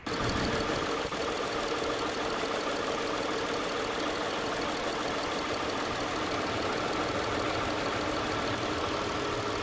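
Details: 2007 Saturn Vue idle misfire, codes P0304, P0300, P0302; plugs replaced, coils swapped, compression and fuel pressure good, #4 spark fine; uneven idle with faint irregular stumble; cause: bad #4 fuel injector.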